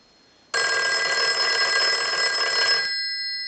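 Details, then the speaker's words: Western Electric 5302 rotary desk telephone after bell circuit service, ring cycle from analyzer on final checkout: loud fast even metallic bell rattle about two seconds, cuts off cleanly; normal ringing. "So we'll go ahead and start a ring cycle. We're going to let that go a few times."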